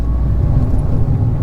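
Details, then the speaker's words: Fiat 500 bought broken at auction, pulling in second gear while driving: heavy low rumble with a faint steady gearbox whine; gearbox mounts also suspected gone, with shuddering, and suspension knocking front and rear. "that whining second's horrible."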